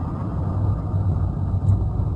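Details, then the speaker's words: Renault Sandero with rear noise over bumps, after replacing the leaking part at the rear semi-axle: steady low road rumble over a speed bump with no clunk or knock from the back; problem resolved. "só salvar uma galera que faz todo esse barulho e tá já passaram ou trabalha com um dos seus você vai conseguir escutar do vídeo mas não a semente galera se passava à lombada o rg com bala problema resolvido"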